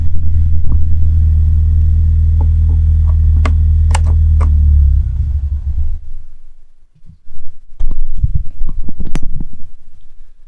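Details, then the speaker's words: 1991 Ford Mustang with the 2.3 four-cylinder, run with the inertia switch pulled to bleed fuel pressure before engine removal: steady drone falters, stumbles and sputters to a stall as line fuel runs out; fuel-starved stall. "The car is stalled out. It is no longer running. It burnt out any of the fuel, or pressurized fuel, I should say, that remained in the line. And you could hear the car stumble and sputter to a stall after I had flicked the switch found down here on the trunk."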